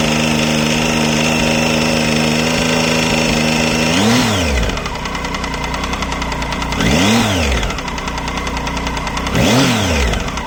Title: Triumph Tiger 800 XC 2013 ticking sound from the engine